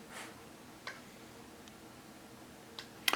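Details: TimeUSB lithium battery charger holding a full battery. Faint, sparse ticks every second or two are the charger switching modes to maintain voltage without overcharging. Normal.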